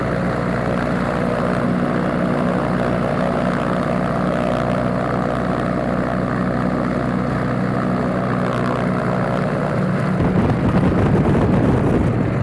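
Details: Alvis Leonides Mk 25 radial engine in a Percival P.56 Provost trainer on a ground run-up: loud, steady, deep propeller drone with an even beat holding firm under power, a healthy normal run-up.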